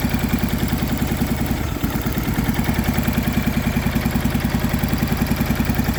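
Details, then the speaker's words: MTD Yardman two-cylinder riding tractor, first start in years, valves just adjusted, new starter, choked, old gas: choppy, lumpy putter at three to four beats a second with dull clatter; one spark plug wire was left disconnected, so only one cylinder was firing. "I forgot to hook up the spark plug wire right here. It was actually only running on one cylinder, so that actually wasn't bad for one cylinder."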